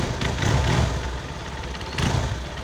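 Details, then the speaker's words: Honda Verza 150 idling: loose, uneven rattle rising and fading in bursts from the clutch housing, varying when clutch lever pressed; suspected hardened, worn clutch hub rubbers, unconfirmed. "Nah, itu tadi ya suara yang di-ok dalam bak kopling itu untuk prediksi sementara itu ada di bagian karet dos koplingnya yang sudah mengeras dan juga oblak ya teman-teman."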